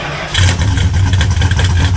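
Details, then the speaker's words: 1975 Plymouth Roadrunner after an engine swap, fired right up on the key without pumping the pedal, then settled into a steady, even low idle with no misses or knocks; healthy start and idle. "Oh, baby. It wasn't even a one-pumper. Fired right up with on the key. That's the sound of reliability."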